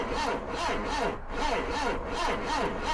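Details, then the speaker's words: 1977 Triumph Dolomite with a battery fully charged overnight: the starter drags the engine slowly, a groan about once a second with no catch. The starter is suspected to be failing, not confirmed; household wire had been found feeding the starter. "starter is on its last legs I think is what's happening there it's not spinning the engine very quickly at all"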